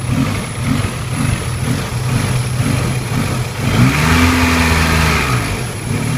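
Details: 16V engine rough idle: idle rises and falls every second or so, then hunts up to a higher steady drone before sagging again; unstable surging idle.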